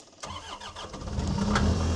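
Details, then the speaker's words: New Holland L218 skid steer after bad relays were replaced: a brief crank, then the engine catches at once and settles into a steady low idle, though a code (possibly 3390) shows. Normal start and idle. "cranks right up and starts."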